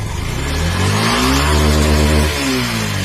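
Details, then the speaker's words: Yamaha FZS version 3 after repair of clutch basket and clutch plate noise that had squealed when pulling away: clean, even revs rising and falling smoothly, no scream or rattle. Engine and clutch now sound smooth, normal. "এখন কিন্তু একদম smooth sound চলে আসছে। যে class বাটির যে শব্দগুলো ছিল সেগুলো কিন্তু একদম চলে গেছে।"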